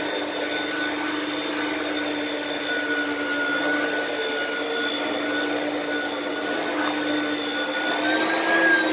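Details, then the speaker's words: Used lightweight Oreck vacuum from Facebook Marketplace: a steady roar with a thin high whistle that wavers a little. The weird noise is of unknown source, possibly the brushroll or the fan. "so there's some sort of weird noise I don't know if that's coming from the brushroll or from the fan or what"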